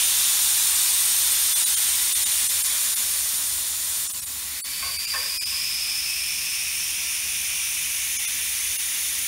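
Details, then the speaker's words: Tire dismounting: valve core unscrewed, steady high-pitched hiss of air rushing out of the open valve stem, fading as pressure drops until the tire is empty, ready to separate from the rim. "and then all the air comes out of the tire once the sound of air leaking stops all the air is now out of our tire so we can go ahead and get it separated from the rim"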